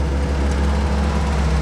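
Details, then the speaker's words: Barn-find early 1942 WWII Ford jeep, ignition hot-wired to the battery, carburettor float stuck and flooding fuel: its first start settles into a deep, steady, even idle with no misses or knocks. "sounds pretty good actually it lives yeah she's waking up"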